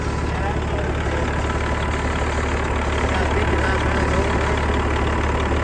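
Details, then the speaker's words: Semi truck sitting 11 years, just revived: steady, even diesel clatter at idle with no misses, knocks or hunting; normal healthy idle, Jake brakes working. "Sucker sounds good, don't it?"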